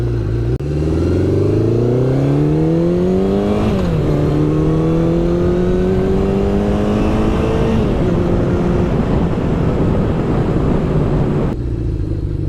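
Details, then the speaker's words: 1972 Honda CB750 with plugs cleaned and points rechecked: revs climb and settle unevenly, stumbling as cylinders drop out. Intermittent misfire; suspected dirty contacts in the right handlebar control that carries ignition power. "Well, this may or may not be the fix, but I started disassembling the right bar control because that is what ignition power runs through, and I feel like it had like dirty contacts."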